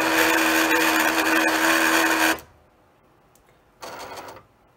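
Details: Cricut cutting machine bought April 2022, suddenly loud while cutting a test strip: harsh grinding with steady low hum; before the fix.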